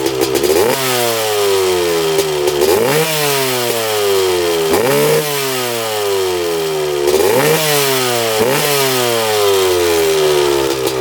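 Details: 1995 Honda CR250 two-stroke on a test ride with fresh premix: revs climb in long pulls, then sag and break up. There is a bad mid- and upper-range bog, and the owner thinks it sounds lean.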